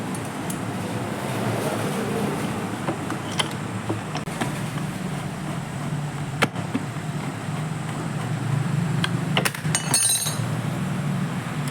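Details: Engine started after oil pump gear replacement and clutch cover refit; steady run with light even top-end valve clatter as oil reaches the head, running normally.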